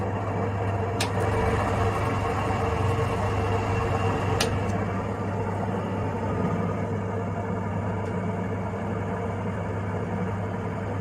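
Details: 20+ year old sirocco-type ventilation fan that had developed intermittent loud or metallic noises and occasional stopping: a steady, even hum with a low drone, a faint higher tone and a couple of light clicks; the fan motor runs smoothly.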